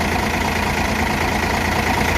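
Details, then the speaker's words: Hino J08E truck diesel with 600,000 km, valves never adjusted before, idling after valve clearance adjustment (intake 0.30 mm, exhaust 0.45 mm): steady even low throb, smoother and quieter, no clatter or ticking. "เสียงก็เดินเครื่องเดินเรียบเสียงเงียบลงนะครับหลังจากตั้งวาล์วเสร็จ"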